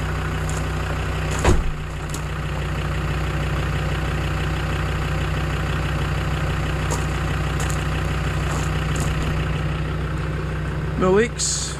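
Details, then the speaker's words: Land Rover Discovery 2 TD5 diesel after a fuel filter change, key cycled three times to prime: brief start-up, then a steady, smooth idle with no knocks or stumbles; healthy running. "i cycled the key three times fire up no bar happy days"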